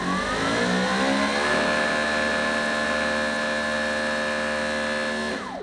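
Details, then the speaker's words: Greenworks Pro electric pressure washer (2700 or 3000 psi) at startup: whirring motor whine climbs in pitch for about a second, holds, then winds down. There is a delay on switch-on, and pressure fluctuates until it reaches its rating, which the owner is unsure he likes; cause not confirmed. "So that's what I'm talking about. I don't know if I like that. I don't know if I like the fact that it's fluctuating on pressure until it gets to its actual rating."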